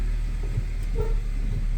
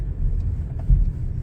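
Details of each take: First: 2007–2013 Nissan Sentra reversing and braking: two short, mid-pitched squeaks rise over a low engine idle, with occasional clunks side to side and squeaks over bumps, diagnosed as worn subframe bushings. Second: 2007–2013 Nissan Sentra after replacing all the subframe bushings with Problem Solving Bushings. Cornering now gives only low road rumble with no squeak or creak, where it used to squeak.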